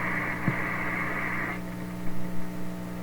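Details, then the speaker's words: 1930s Canadian General Electric K60 vacuum tube radio, tuned near 1300 at the high end of the band, with a dirty volume control: a constant low hum; owner suspects the old cardboard-box capacitors; hum. "Bit of a hum there. That'll probably go away if we change those cardboard box capacitors."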